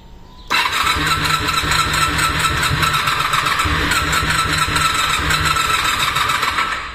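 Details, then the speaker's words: Honda VFR 400R NC30 that won't start after its ignition was left on overnight in the van: starter whirs weakly with a thin whine for about six seconds, no start, then the battery dies; it will need a charger. "Venga, venga, le damos otro achuchón a ver si arranca. Nada, ha muerto."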